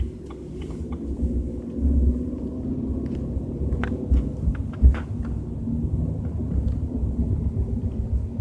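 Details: BMW 320i with a deep, uneven low rumble under road noise at a steady 30–40 km/h, with a few heavier thuds; source still unknown.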